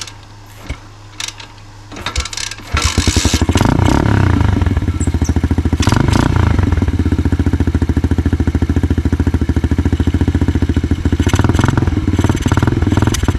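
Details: Coolster 125cc dirt bike that only ran on choke, after intake leak repair: a few cranking attempts, then a fast, steady single-cylinder beat with no stumbling once running.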